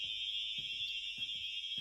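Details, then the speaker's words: Fire alarm sounder from a collection under test, mounted upward: steady high-pitched tone around three kilohertz with no pulsing, fairly quiet over soft room thumps; output seems weak, cause unknown. "this one is not that loud and I don't know why this one's actually pretty quiet"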